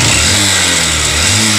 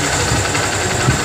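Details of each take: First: Honda CB Shine single-cylinder motorcycle with an unresolved engine noise after earlier repair: harsh, rattly mechanical clatter over the revving engine, rising and falling with throttle; cause unclear, cover to be opened. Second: Honda CB Shine motorcycle, previously loud abnormal engine noise, after repair work: short burst of steady even single-cylinder idle with no knocks or rattles, like factory sound; normal idle after repair.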